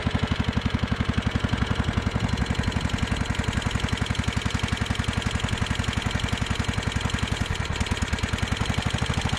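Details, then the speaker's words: Scotts John Deere riding mower, newly fitted carburetor with apparently no gasket, carb spray applied: loping uneven beat near 220 pulses a minute, engine bogs when sprayed; air leak between carburetor and intake. "as you guys can hear it when i spray the carb spray in there uh it's kind of bogging the um [Music] the motor down so we've got an air leak between the carburetor and the uh the intake"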